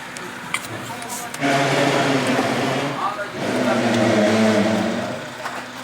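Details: Car horn that had stopped working from the steering-wheel button, after repair: two solid blasts, each a steady buzzy tone lasting over a second with a short gap between. The horn sounds normally.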